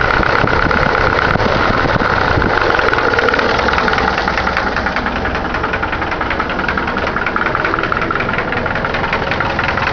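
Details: Engine of the owner's Caravan 4-cylinder (called "Cargo 76"), first start of the day after returning from work: a steady idle with a light, uneven tapping knock about two to three a second. The source of the knock is unclear.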